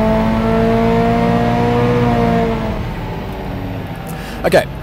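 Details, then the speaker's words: Subaru WRX STI on Haltech ECU, turbocharged, dyno full-load run with ignition dwell cut from 2.5 ms to 1.5 ms: clean, steady pull, no stumble or misfire, then backs off; made exactly the same power. "so that second run there, we've gone from 2.5 milliseconds down to 1.5 milliseconds. And the point of that demonstration is you can see that we made exactly the same power."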